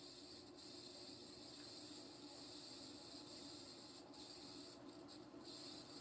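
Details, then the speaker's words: Mid-to-late 1980s 36-inch View Fan industrial-style ceiling fan, stamped steel motor, running at medium speed: continuous airy hiss and faint rubbing over steady hum from cheap worn bearings. "you can already hear the bearings hissing that is powerful"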